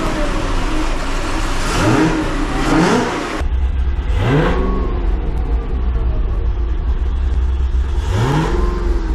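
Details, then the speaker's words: 2005 Chevy Corvette with 2-inch headers after exhaust leak fix (new welded V-bands, new gaskets, Permatex high-temp RTV): clean even revs rising and falling, no ticking or puffing from headers; smoothest running in months, normal. "all right guys now that is the smoothest I've had this car running in many many months"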